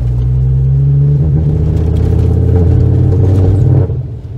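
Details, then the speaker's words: Ford Focus ST225 2.5L five-cylinder turbo with a deep, lumpy, uneven rumble: an engine misfire that is getting worse. Owner hopes new spark plugs fix it; otherwise suspects a coil pack. "is a misfire my friends I'm hoping it's something as simple as bar walks so I'm gonna knit to the shop now"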